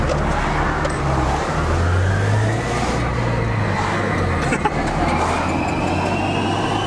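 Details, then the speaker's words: Turbocharged project car under load while driving, tires rubbing: over engine and road noise a whistle climbs steadily in pitch as the car pulls; the turbos aren't supposed to sound like that, cause unclear; abnormal turbo noise. "you hear those turbos these are turbo ain't supposed to sound like that"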